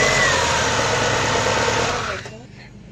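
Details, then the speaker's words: First start of a freshly rebuilt Subaru Forester XT EJ25 turbo with a closed-deck 800 hp block, after a crank sensor code was cleared: an even, steady flat-four note with no knocks or ticks; sounds healthy. "that's actually really good that's the first time i've ever built an engine and heard it start so i'm pretty i'm pretty happy right now"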